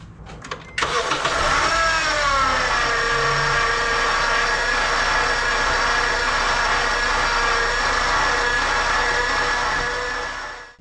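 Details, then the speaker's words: 2009 Honda Civic 1.8: engine cranks, fires and idles with a steady high whine first suspected as the power steering pump; listening at the alternator through an extension suggests its bearing. "So, we got the 2009 Honda Civ 1.8 engine and uh it's making weird noise. Weird noise which sounds like power steam pump."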